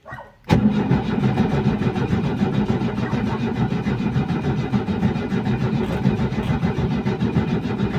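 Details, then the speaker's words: 1989 Ford Pampa CHT, first cold start of the day after carburetor rebuild kit replacement, choke pulled, no gasoline primed: brief crank, catches at once and settles to steady, even idle without misses. "Lembrando que tá meio frio tá só com fogador puxado tá um detalhe eu não injetei de propósito só para mim testar eu não injetei gasolina só puxei o afogador e dei partida"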